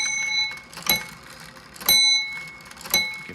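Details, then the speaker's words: 1830s Ephraim Downs pillar-and-splat wooden-works shelf clock, bell strike triggered by pulling string and rod: three clear, bright bell strikes about a second apart, fading evenly; chime works properly. "There we go. So the chime works."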